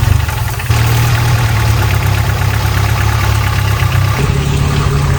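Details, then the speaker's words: 1993 Volvo 245 turbo-swap wagon with a fuel problem, fuel pressure regulator vacuum line plugged. Lumpy, uneven idle with a dull low knock (piston slap noted) and a tone shift near four seconds. Rough idle; the regulator is suspected but unconfirmed. "While messing around with the fuel pressure regulator, I pull the vacuum line off and I plug the vacuum line and it acts like it doesn't want to run. I think we found a problem."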